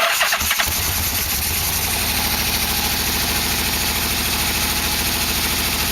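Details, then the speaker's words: 1987 Yamaha V-Max V4 after engine install: starter cranks, engine catches and settles into a lumpy, stumbling beat; dead miss, one cylinder not firing because its spark plug wire is off. "that's cuz it is dead miss I don't have a spark plug wire on here not good Joe"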